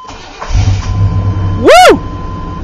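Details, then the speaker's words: Truck starting on a freshly installed new battery after corroded battery and cable: brief crank, catches at once with a quick rev flare, then settles to a steady even idle; normal start. "let's see the Moment of Truth it'll start up get out of here it's in"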